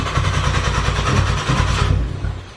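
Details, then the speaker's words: Car during auxiliary fuel kit install with the fuel pump fuse (20 A) pulled: starter chugs steadily but the engine never catches; run until it stalled, then cranked about 20 seconds to relieve fuel pressure, so no start. "you guys heard car doesn't start basically it stalled and then once it stalls you want to crank in front of 20 seconds to ensure that basically all the pressure is relieved"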